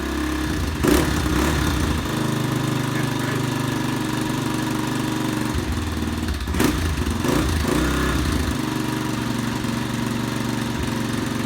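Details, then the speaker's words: Honda XR250 single-cylinder four-stroke just after engine reassembly, slow to start because of extra oil added with the piston: steady, even idle with a couple of short blips and no knocking or rattle; runs normally. "all right it sounded good took a bit to start but i had had a lot of oil in the when i put the piston in a lot of oil engine oil i put in there had to use a bit of the old start the bastard but she goes she i look nice sounds perfect"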